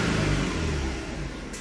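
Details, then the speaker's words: Hyundai Sonata with code P0335, intermittent crankshaft sensor fault (crank signal showing off on scan tool): under throttle the engine note swells then sags and fades instead of climbing, stumbling as if about to stall; hesitation under acceleration, cause suspected not confirmed. "at least sounds weird it doesn't sound good at all"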